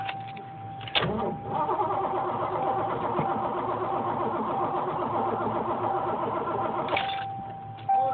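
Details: 1986 Ford Mustang 5.0 five-speed, attempted boost start with a suspected bad connection; steady rhythmic starter churning for about six seconds with no firing; cranks but will not start.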